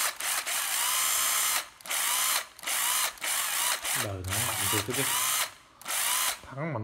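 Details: Makita 12V drill-driver, bare tool: several clean bursts of strong whirring about a second each, spinning up evenly without grinding or rattles; very strong, healthy.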